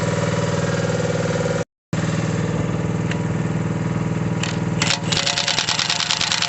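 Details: Mini digger diesel, previously not starting (lazy starter motor suspected), settles into a steady, even chug with a low thrum and a brief load change near the end; normal running.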